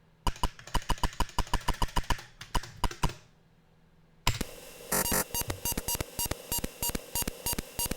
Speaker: now you'll see that this is dos one there is no burst mode so it is literally doing 128 individual individual character calls